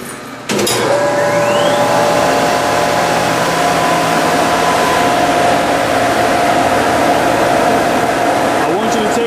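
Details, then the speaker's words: Steam boiler burner firing up, pre-purge phase with the modulating damper pulling back to high fire as a safety step against explosion. Blower spins up with a rising whine, then a steady roar of moving air: normal pre-purge. "If you take a close look, you're going to see it's going to go, it's on the pre-purge phase right now. See that the air is slowly pulling back into high fire."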